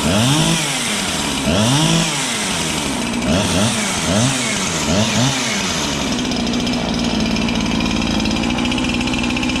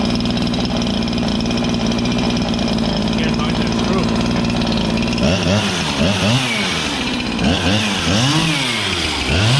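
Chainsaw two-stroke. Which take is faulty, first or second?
first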